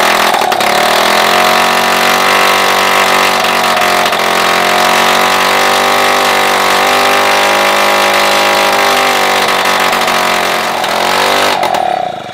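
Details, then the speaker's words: Solex 2200 moped two-stroke engine, first start just after assembly and fitting the carburetor jet: steady even buzz with slight waver, no misfire or knock; runs normally. "Ben voilà, il fonctionne. Alors comme un 2002 hein."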